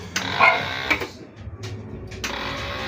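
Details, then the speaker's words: Keeway K-Blade 125 Euro motorcycle, battery strong (lights, horn, signals work): short buzzing chatter in two bursts on each start-button press, engine never cranks; starter circuit fault, cause unknown. "Yan, kung naririnig nyo yung tunog na yun, yan lang yung nangyayari sa kanya pag nagpo-push start."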